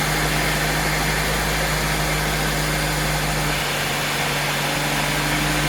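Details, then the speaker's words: Honda Civic hatchback after its stock ECU had its leaking capacitors replaced: steady, even four-cylinder idle with no stumbling, now running. "i mailed it off to them and for about 75 dollars i was able to get them to replace all of the bad leaking capacitors with new ones and i'm happy to report that this uh hatchback now runs"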